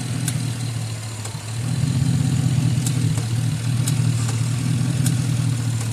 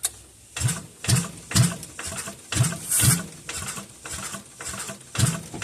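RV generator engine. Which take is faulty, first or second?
second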